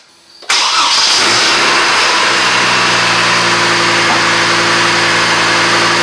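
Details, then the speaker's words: 2004 Chevy Colorado 3.5L inline-5 at test start after replacing the belt tensioner, with the belt having squealed badly before: the engine catches quickly and settles into a smooth, even idle with no squeal or chirp. "Sounds wonderful."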